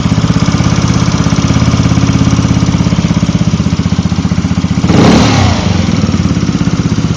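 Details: Zuma 125 scooter at idle with a brief rev blip: fast, light ticking about three per second near the fan area. The owner suspects the lightweight fan or the cam chain tensioner and plans to reset the tensioner to check. The source is unconfirmed.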